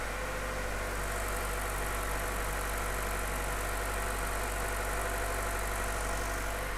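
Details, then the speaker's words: Chevy Cruze 1.4 turbo, first start after head gasket and piston ring replacement, no coolant added, oil primed by cranking with coil unplugged: steady even idle, smooth low hum, no knocks, ticks or misses; some smoke, oil pressure good. Normal idle. "let's find out there's always some smoke but that's fine that sounds pretty good"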